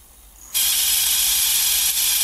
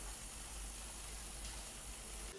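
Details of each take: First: Coleco Adam data drive, which has a dirty, rusty head. It spins up into a loud, steady, high-pitched hissing whir. The squeal comes from a dry index wheel axle that needs oiling, and the owner also suspects the encoder needs cleaning. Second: Coleco Adam data drive formatting and verifying after the head was cleaned and the index wheel oiled: low steady tape hum with no hesitation, chatter or squeal. The earlier squeal is gone and the drive runs clean.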